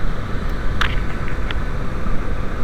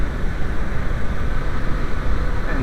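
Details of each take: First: VW Passat B5 / Audi A4 1.8T turbo petrol at idle: smooth until the PCV check valve is reconnected, then a rough, uneven misfire beat from the vacuum leak through the broken valve, running lean; fuel trims rise. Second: VW B5 / Audi A4 1.8T turbo petrol idling with PCV check valve plugged: steady even low rumble, no misfires, fuel trim about minus 4; smooth idle.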